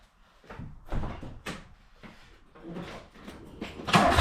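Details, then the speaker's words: Mark II VW Polo GT Breadvan that cut out while driving: starter cranks in uneven bursts with no firing, no fuel when priming the pump; the cause turned out to be an empty petrol tank. "So there's no fuel coming when I prime it, which is interesting. I'm just going to try and start it and see if anything comes out now."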